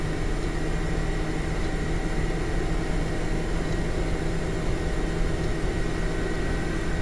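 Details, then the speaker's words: £250 APU budget gaming PC at idle: steady, loud fan roar with faint low hum; fans run hard because faulty temperature sensors make fan profiles hard to set quiet without overheating. "Number one, it's extremely loud and extremely difficult to configure the fan profiles to get it quiet without overheating, just due to the fact that the temperature sensors don't work properly. Here's what the machine sounds like at idle."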